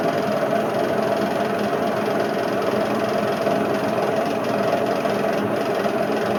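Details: Indesit IWC71453 UKN 7 kg washing machine, retest spin after replacing a split belt, door ajar, drum moving violently; loud continuous rumbling roar with rough churning edge, worst drum bearing failure encountered.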